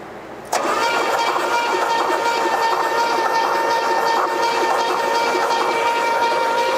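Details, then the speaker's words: 1972 Pontiac LeMans barn find, sitting about 20 years: starter spins the engine with a steady whine and even cranking rhythm, no binding or clunk, so the engine is not seized; compression afterward about 125–130. "Well, she's not locked up, huh? No."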